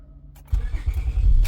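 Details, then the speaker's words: A brief quiet moment, then a 2004 Acura TL's petrol engine starts right up into a steady low rumble with no buzzing, after replacing the bad ignition switch. "Look at that. Starts right up. So it was a bad ignition switch."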